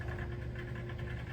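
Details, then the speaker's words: Condensate pump on a home boiler system, heard during a hy-vent air vent replacement: steady low hum with a faint buzzing tone throughout; pump is noisy, cause unclear, and the owner plans to replace it. "that noise you just heard was my condensate pump, which is also going to be replaced ASAP."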